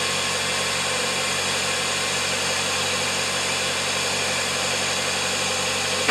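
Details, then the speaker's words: 2010 Kia Soul with acceleration issues, started after fluid check: steady, even idle with smooth low hum; idle came down faster than before. "Idle was coming down faster than last time."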